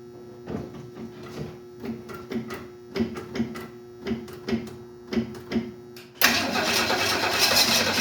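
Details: 1968 Ford Mustang on a weak, briefly trickle-charged battery: slow uneven cranking, two or three beats a second, then a brief loud catch but it won't stay running; owner suspects no gas in the lines, unsure whether the fuel pump works.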